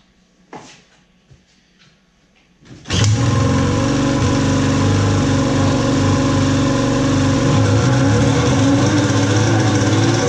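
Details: Polaris Pro X2 700 being troubleshot, with oil added down the cylinder: starts after a few knocks, then a loud, busy buzz that wavers slightly. Rough running; bad fuel suspected, compression test still pending.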